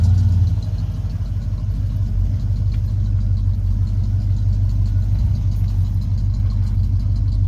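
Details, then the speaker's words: 1992 Ford F-150 started after power washing a very muddy engine bay, check engine light already on beforehand: steady low even idle, no knocks, ticks or misses; running fine. "so let's start it see if everything starts fine check engine light was on before so I don't think that's a problem"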